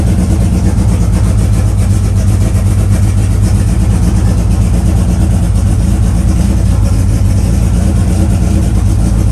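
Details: Cranking with no ignition after swapping solid lifters for hydraulic ones on an E85 engine: a heavy, lumpy, uneven rumble like it's down a cylinder. Owner suspects maybe two lifters have no oil; a compression test is planned.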